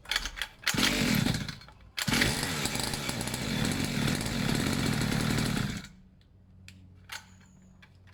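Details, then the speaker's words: Two-stroke pit bike, fresh fuel, long unused, choke being tried off: revs and dies unevenly in rough ragged bursts, dropping near silence; erratic running, choke later found slipping and stiffened. "what was happening was to choke itself was slipping and moving so I stiffened it up a bit"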